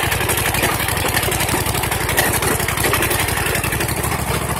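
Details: Freshly rebuilt custom 21 HP V-twin, first test run with no throttle: steady, even chug with a rough exhaust edge, no knocks or misfires heard; the engine is running well.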